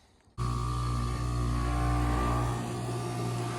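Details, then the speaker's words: Goodman AC outdoor unit, first call of the season, not cooling: compressor runs with steady low hum and faint whine but no fan whoosh; condenser fan motor not working (bad motor or capacitor suspected), motor later replaced. "looks like our condenser fan motor is not working you hear the compressor"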